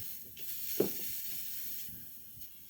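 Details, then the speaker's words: Mazda 3 crank-no-start, injector after triggering: quiet continuous hiss never cutting off, stuck open spraying fuel nonstop, cause of no-start; to be cleaned or replaced. "Once na nagtrigger na siya steady na lang yan hindi na namamatay panay ano na lang siya panay bigay ng fuel kita niyo yan aan yung sirang injector gyan ang sirang injector hindi nag-cut off kahit wala ng ano so hindi talaga andar yung unit panyan"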